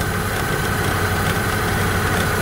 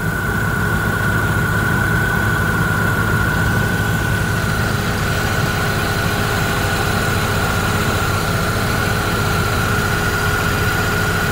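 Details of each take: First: Opel Astra G idling with AC and blower at max for electrical load; an old, weak multi-rib belt tensioner fails to tension the belt, which flutters and gives buzzy metallic rattling vibrations. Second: Opel Astra G petrol engine idling with AC on and fan at maximum after replacing the damaged multi-V belt tensioner; smooth, even, no belt flutter, slap or squeal: normal belt drive at idle.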